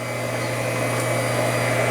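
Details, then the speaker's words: Newtry water-driven doser adding calcium nitrate in a fertigation system: a steady pump hum with a faint repeating click, which is the doser pumping normally. "You can hear it working. The clicking sound is the doser. It's pumping. It's a water driven pump."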